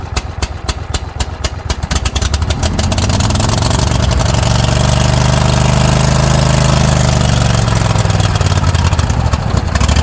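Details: Kohler 7000 series engine on Troy-Bilt zero-turn mower after carburetor replacement (gas had leaked into oil): even beat picking up speed then smooth steady run, running healthy; idle seems slightly high, adjustment screw set.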